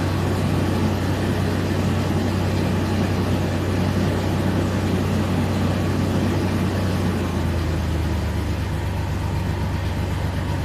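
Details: Mercedes W163 petrol engine idling with a low, lumpy drone and rough uneven throb from a misfire on two cylinders.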